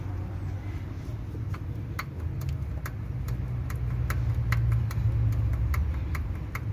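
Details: Kia/Hyundai i20 G4FA/G4FC engine at idle: sharp metallic ticks, about three to four per second, over a low rumble. Cast-iron-looking metal was found in cylinder 3 and piston slap was also found, and the engine is being rebuilt.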